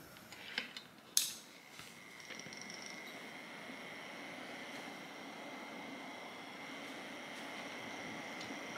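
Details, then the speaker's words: Small metal-caged fan fitted with a solid 3D-printed TPU blade: a quiet, steady whir with a faint constant tone and no knocking. Slight vibration, also present with the previous blade; normal running. "works. It has a little bit of vibration, but even the previous one had, so I'm not worried about it."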